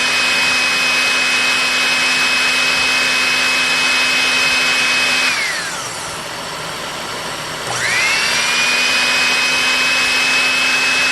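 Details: Electrolux PN4 power nozzle, about 40 years old, first test run after re-greasing the motor and brushroll bearings, belt not connected; high whine dips and climbs back smoothly as rpm rises while the sanded commutator reseats; normal motor run.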